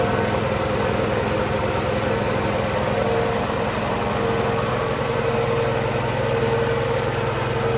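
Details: Tow-behind mott mower motor on a Cub Cadet garden tractor, after the motor install and greasing the pillar-block bearings: steady, even single-cylinder firing beat with no misses or knocks, normal running.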